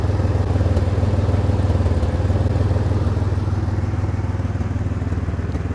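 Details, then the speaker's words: 1999 Chevrolet Camaro that keeps running with both fuel lines disconnected: rough, lumpy idle that stumbles and sounds flooded when the relay is bypassed and fuel pressure rises, then calms when it is removed. A flooded injector is suspected. "fuel pressure goes up it starts stumbling it sounds like it's getting flooded but look if we take this off as you can see it calms down right here it doesn't sound as bad"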